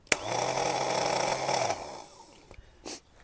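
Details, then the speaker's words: Craftsman riding mower starter for a Kohler engine, removed and bench-tested by touching the positive lead: a rough, gravelly whir of about 1.5 seconds; the starter spins but the spiral bendix gear stays up and won't retract, so the starter needs replacing. "now these have a lot of torque so I'm just going to stand on it with my foot and touch the positive lead to that and the thing should spin you can see it spins but it's not retracting and it doesn't sound very"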